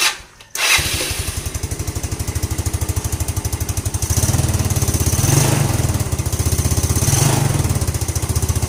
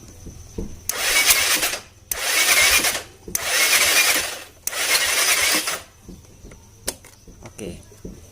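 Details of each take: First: Scooter that was hard to start in the morning, after the faulty part was replaced and the head reassembled: catches after a short crank and settles into an even, steady idle with regular firing pulses and no knocks or misses; the replaced part was the main problem. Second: Scooter that is hard to start in the morning: four short bursts of starter whir, each about a second, with no catch or firing; a compression leak is suspected.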